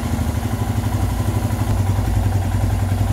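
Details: Royal Enfield Himalayan, warm engine, after idle screw adjustment on the throttle body (target 1250±50 RPM): steady, even single-cylinder thump at settled idle, no hunting or stumbling; normal idle.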